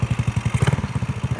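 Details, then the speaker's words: Yamaha Mio GT scooter, fuel-injected, that stalled with MIL codes 22 and 15, after reinstalling MAP sensor and throttle body: steady even idle thump about twelve beats a second, no misses; running normally again. "Oke coba kita akan menyalakan semoga ya motor nyala ya Nah alhasil motor nyala kembali dengan normal"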